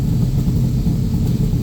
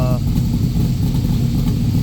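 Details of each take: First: Backdraft Cobra 427 V8 on Holley EFI after timing and idle adjustment, warm idle: deep steady rumble with slight lean puff from one exhaust side, which faded as idle dropped to about 1423. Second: Backdraft Cobra 427 V8 on Holley ECU, warm at operating temperature, idling about 950 rpm after timing corrected from seven degrees too advanced: even, deep burble, no stumbles or ticks; sounds healthy, slight lean tip-in still to tune.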